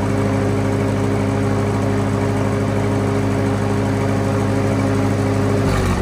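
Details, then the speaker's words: Lincoln SA200 welder engine on Ford F350 rig, warmed up after exhaust work: steady engine drone with faint whirring riding on top that fades; owner suspects starter not retracting all the way, cause unconfirmed. "I don't know if you guys can hear it, but there's the starter's doing something. It sounds like it's not retracting all the way or something."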